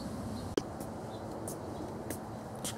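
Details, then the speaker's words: Honda EU2000i inverter generator started up on eco throttle before a table saw is plugged in; faint, steady low hum under birdsong, very quiet, no surging or misfire, normal smooth idle. "saw this is what the engine sounds like very quiet"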